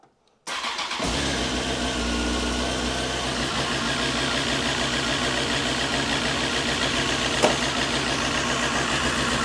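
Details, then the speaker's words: Honda CBR954 Fireblade, first start after six-month rebuild: short crank, then engine catches into rough, slightly uneven idle; owner suspects fuel or fuel pressure after priming, cause unconfirmed. "can't think actually we've got fuel going in ooh we started try again I think it's fuel fuel pressure got quite a lot of fuel in"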